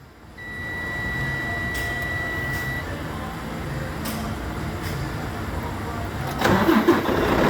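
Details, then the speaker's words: Freightliner Cascadia with intermittent no-start complaint, checked on key-on via computer crank signal and voltage: steady rapid cranking about four beats a second, diesel catches cleanly; normal crank and start, fault not reproduced. "Truck is starting. Seen the green that time. Let's try it again. Truck is starting."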